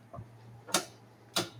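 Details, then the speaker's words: Metal lathe guard interlock micro switch: two crisp clean clicks over faint hum as the guard moves; in the off position the lathe won't run, down it runs; switch working properly. "And you can hear that that it's working. So, that's in the off position. lathe will not go."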